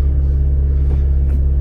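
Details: Toyota Auris, stationary and idling after a second-hand gearbox replacement and gear oil change, before the test drive: a deep, steady idle hum with no knocks or whine. It sounds smooth and even.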